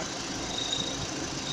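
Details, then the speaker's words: VW Gol/Voyage G6 engine running, with an AC compressor six months old; the belt was replaced without curing it. A thin cricket-like chirp comes and goes, stops when the AC hose is held by hand and returns when released: AC hose vibration chirp. "Aí, barulhinho de grilo, tá ouvindo? Aí você vem aqui na correia, não é correia, vem aqui nas velas, nada. Aí por curiosidade, eu coloquei a mão aqui na mangueira do ar e acabou."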